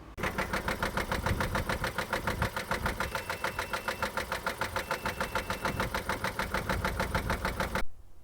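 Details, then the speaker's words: Three-year-old diesel truck, 6,000 km after a new timing belt: heavy, even knocking about three and a half times a second over a rough idle until shutdown; severe knock, sounds out of time or rod knock, engine found destroyed. "something I noticed on the truck is when we got her home we got her towed in it would start sound like it's out of time or a severe rod knock"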